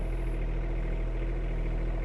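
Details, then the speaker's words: Kubota U10-5S2 mini excavator with 1 operating hour, diesel, started after raising the control lock lever: a steady, even hum with a constant low drone and no knocks or misses, a healthy idle. "При опущенном рычаге двигатель не заводится. Поднимаем рычаг, заводим двигатель."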